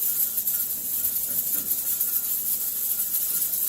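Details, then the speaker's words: 30-quart All American pressure canner with dry beans, using the 15 lb weight at about 1,020 ft elevation. The jiggled weight gives a strong steady steam hiss with slight flutter as excess pressure vents normally. "And I jiggled it because it started to go by the 15 pounds. And now it's going to let off some pressure and come back down."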